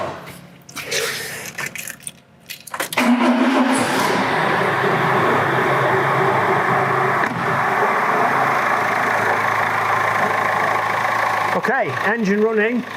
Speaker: Nice diesel knock.